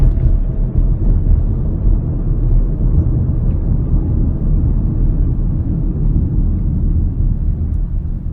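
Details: Inside a car with a large panoramic glass roof, driving after the roof seals were lubricated with synthetic silicone grease: steady low road rumble, no squeaks or creaks from the roof.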